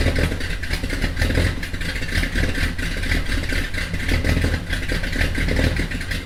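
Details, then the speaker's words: Mopar V8 idling with aggressive cam after fitting high-flow J heads and refitting exhaust manifolds: deep rhythmic lumpy thumping, no knock or misfire, slight exhaust leak noted; timing and carb still to be tweaked. "well guys it seems as though she's doing a little more thumping now with these though high flow heads"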